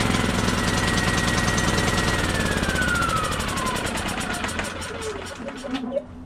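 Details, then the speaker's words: Champion 3400 W inverter generator on electric start: it fires and chugs, but its pitch sags steadily instead of climbing. It cannot gain rpm because the inverter board is shorted, and the short worsens as rising speed raises voltage. The board needs replacing. "like I said the inverter board is bad it's shorted out and it's causing the motor to not be able to gain rpms because the faster goes the more voltage it produces the more voltage it produces the worse the short gets"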